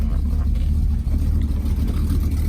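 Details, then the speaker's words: 1963 Studebaker Avanti R1, original 289ci V8 with dealer Paxton supercharger, automatic, 63k original miles: fires first try, deep, even rumble with steady beat, no knocks or misses; healthy idle. "We're gonna fire it up here. So it's one try, fires right"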